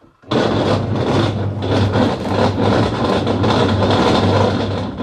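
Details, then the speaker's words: Washing machine under laundry load: loud rough grinding with churning surge about twice a second, like stones tumbling, though no stones found inside; faulty gearbox. "jadi mesin cuci ini ketika dinyalakan kemudian kita kasihi beban cucian mesin cuci ini berbunyi keras sekali seperti ada yang batunya"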